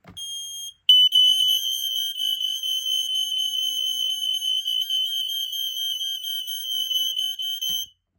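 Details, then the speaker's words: Smoke alarm tested on a demo board in a quiet room: brief chirp, then a shrill high-pitched alarm pulsing about four times a second; sounds normally. "You could hear the 4.6 units overpowering the Code 3 units down here."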